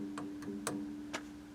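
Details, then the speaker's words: 1930 Atwater Kent Model 70 radio after restoration, tuned to local station: steady low hum with sharp irregular clicks and ringing; owner suspects a microphonic tube. "definitely sounds like i've got a microphonic tube how lovely have to check that out"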